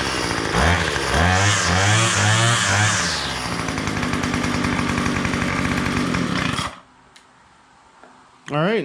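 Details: Two-stroke weedeater after fitting a new crankcase cover, with a pin left free-floating: engine snarls through a few throttle blips, then holds a steady buzzing run before shutting off; trimmer runs normally.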